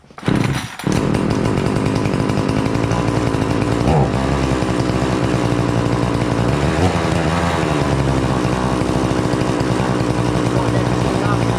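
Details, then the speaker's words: Prorun chainsaw after cold start (switch on, primer bulb pressed up to 10 times), then brought back to idle: catches quickly and holds a steady buzzing run with no misses, surging or rattles; running normally. "once it starts up, you're going to see me take my foot out of here, and you'll hear the engine kind of going."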